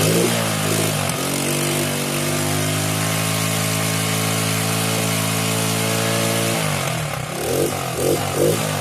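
Single-cylinder bike starts and runs clean, revs rising and settling back smoothly with an even steady beat, nothing missing.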